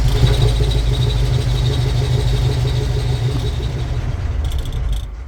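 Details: Franna crane diesel engine with a starting and stopping problem: loud, steady, even chug that tapers off; it keeps dying as if fuel-starved.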